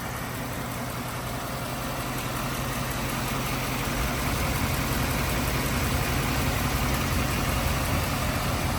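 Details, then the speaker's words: 1953 Packard Clipper, 288ci straight-eight with two-speed automatic, idling as the hood is opened: very quiet, smooth, even idle that barely makes a noise, with a soft steady beat and faint regular spark-plug firing ticks; healthy and well tuned. "all right let me see if I can get that hood open barely makes a noise can hear the spark plugs"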